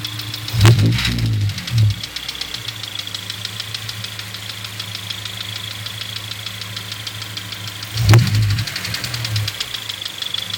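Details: Honda S2000 petrol engine at steady idle: fine light chatter broken by two sudden louder tick-clunks at irregular times, the random ticking seeming to come from near the intake manifold; cause unknown.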